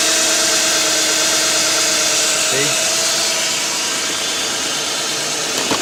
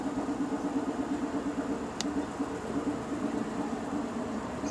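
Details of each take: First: 2007 Nissan Quest 3.5, code P0300 random misfire traced to a bad ignition coil: steady, even idle with smooth hum and no stumble or skipped beats; engine running cleanly on all cylinders. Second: 2007 Nissan Quest 3.5 V6 with P0300 random misfire, idling with one injector disabled via scanner actuator test: lumpy uneven pulse and shaking, showing that cylinder works; used to isolate the misfiring cylinder.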